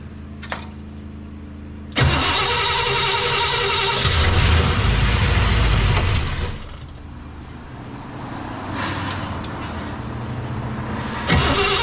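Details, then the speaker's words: Cadillac 390 V8, little fuel poured in bowls, choke possibly needing holding: starter churns steadily about four beats a second, never fires; owner suspects it isn't getting fuel yet. "I don't think it's getting any uh fuel yet and I'm out of fuel in my little can here"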